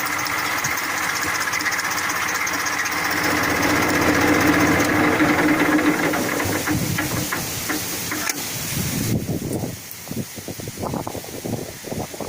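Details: 1994 Massey Ferguson 1035 DI tractor diesel at idle: even clatter at roughly four beats per second, steady hum, no odd knocks, tapering off near the end; normal idle.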